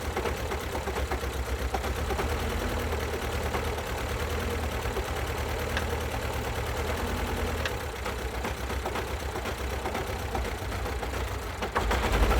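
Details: 2012 Alfa Romeo Giulietta II (940) 1.4 petrol 120 PS, engine code 940B7000, 164,000 km, idling lumpy and uneven with irregular stumbling beats instead of a smooth hum: no compression on two cylinders.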